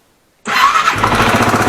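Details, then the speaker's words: Yamaha TW200 single started after starter rebuild: catches and settles into a fast, even beat with a dull knock under each firing pulse, attributed to worn crankshaft main bearings; sound changes when the clutch is pulled, attributed to a worn clutch basket. "это глухой стук обусловлен тем что просто жены и коренные подшипники коленвала плюс при выжиме сцепления это уже износ корзина сцепления"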